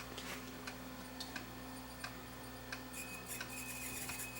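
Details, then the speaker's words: Sony EVO-9800 professional Hi8 deck playing a tape with many dropouts; thin high squeak over running hiss with ticks as tape sticks to the head drum; stiction squeal blamed on this tape and the chassis design. "oh you can hear the tape squeaking hear it stiction yeah that was the problem with this this tape and this design"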